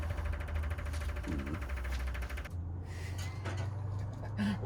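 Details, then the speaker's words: VW Bus neglected for 30 years, key on, engine off during revival: fast even buzzing chatter with a low hum, tail lights pulsing along; mostly the fuel pump, but ignition and lights still pulse with the pump off; cause unknown. "I don't know what's making the electrical go like that. It's my tail lights are doing that."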